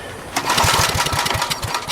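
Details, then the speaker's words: Abandoned Generac generator left outdoors for years, spark plug found missing, bad stale gas; air cleaner off with carb cleaner sprayed in. A quick pull gives about two seconds of rapid chuffing compression but it never fires. Unburnt mixture suspected to be blowing out the exhaust. "I guess it's pumping through the system and blowing out the exhaust is unburnt."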